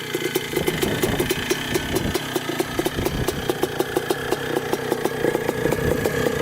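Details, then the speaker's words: Suzuki RM125 two-stroke dirt bike (believed 1979), barn find revived after 15 years idle, warming up: crisp, even ring-ding popping at steady idle with no knock or rattle; clutch works, running well, just needs to clear out; normal idle. "so far the clutch works so that's good it's running pretty good just has to clear out a bit it's a good sign that it's still idling"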